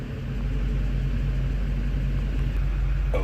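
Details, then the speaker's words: 2008 Chevy Silverado 3500 6.6L Duramax LMM diesel, after FASS lift pump installation and clearing stored codes, driving: deep strong rumble pulling steadily under load with no misses or knocks; pulls much harder than stock. "my goodness bro this thing is snapping so much better than it did stock holy smoke and that's just with a lift pump my goodness oh it runs"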